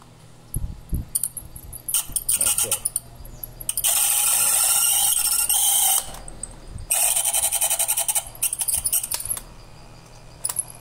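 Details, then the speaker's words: Old small fan running below normal speed, humming low with harsh scraping bursts coming and going from the shaft rubbing in dry, gummed bushings; oil had been added before and it stayed like this. "a pessoa tá rodando mas não tá com a velocidade ideal né E tá fazendo esse barulho aí que a gente falou que colocou óleo nele e ficou assim"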